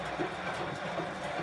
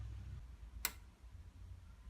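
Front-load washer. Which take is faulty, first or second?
second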